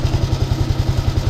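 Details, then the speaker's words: Honda Wave 110i electric start, months after fitting: harsh rapid clatter about six beats a second over cranking, starter gear stripped and slipping as it tries to engage. "เฟืองของไดสตาร์ทนั้นยิ่งซ้ำที่จะดังกว่านี้นะ"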